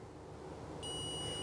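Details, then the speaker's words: Multimeter continuity test on the new push-button on/off switch for a Baltra induction cooktop that would not turn on: quiet hiss, then a steady high beep held while the button is pressed; continuity confirmed, switch good, before fitting it. "यह आ गई continuity और इसे replace करके देखते हैं कि यह चालू होता है या नहीं होता"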